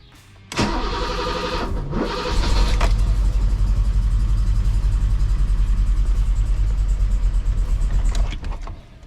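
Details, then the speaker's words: 1984 BMW 733i (E23) first start after wasted spark ignition conversion with new ECU tune: engine cranks and catches, rough uneven idle with coils audibly ticking underneath; coils felt not hot. "Well, it definitely started, and I definitely hear the coils ticking."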